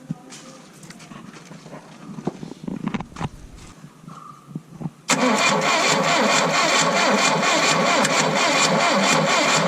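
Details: Tata Sumo diesel, abandoned Kerala Police vehicle, cold start on 12 V battery hookup: clicks and handling, then catches sharply near five seconds and settles into an even, clattery diesel idle; starts fine.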